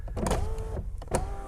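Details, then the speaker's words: Rover 75 V6, one owner, 66,000 miles, driver's door with ignition on: power window motor whirs in short pulls with a strained, labouring tone, tight on the runner and worst going up before it stops; regulator suspected. "but the real issue comes when you try and put it up you can hear how tight that gets before it finally stops"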